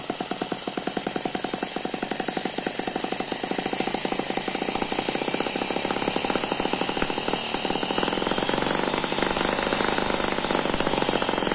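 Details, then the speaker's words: Eachine ET9 (M15) mini single-cylinder gasoline engine with twin spinning counterbalances, on a tarpaulin: fast even firing at constant speed, no misses or knocks, turbo-like gear noise audible; normal smooth running. "very smooth so that's a very smooth running engine it does not dance around"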